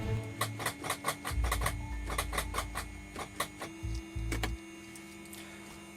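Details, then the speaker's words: 2007 Liberty XL-2 aircraft with FADEC, parked neglected for years with bird droppings on starter connections: fast dry clicking about four a second, engine never turns over; owner suspects starter solenoid, connections then cleaned. "Sounds like we have a possible starter solenoid issue, would be my guess. It does have some pretty questionable connections here as far as the bird poop."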